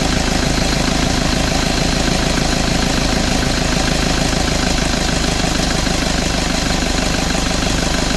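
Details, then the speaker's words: Toyota Vigo after AC evaporator, drier and valve replacement, compressor oil change and bearing replacement (system not flushed, sight glass still dark): steady idle with compressor running, no rattle or bearing whine, AC cycling normally and cooling well. "ความเย็นทำได้ปกตินะครับแอร์ตัดต่อปกติทุกอย่างก็แกเย็นพร้อมใช้พร้อมส่งงานครับ"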